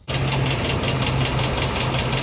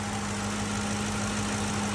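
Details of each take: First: 2007 Ford F-150 5.4L 3V Triton V8 idling with a sharp, regular tick two to three times a second, recorded before repair; the diagnosed cause is a worn roller rocker arm, replaced without removing the camshaft. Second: 2007 Ford F-150 5.4L 3V Triton V8, first start after replacing the bad rocker roller arms (without camshaft removal): smooth, steady idle with good oil pressure, the valvetrain tick gone.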